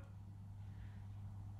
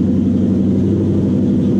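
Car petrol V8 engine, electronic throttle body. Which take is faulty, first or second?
first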